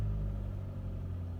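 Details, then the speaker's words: 2007 Dodge Caliber 2.0L, 340,000 km, cold weather, low battery, towed in as no-start with very low compression; after repeated cranking with throttle it starts and settles into a steady even idle on its own, no stumble or misfire. "and she is running can you get that to focus all on its own look at that"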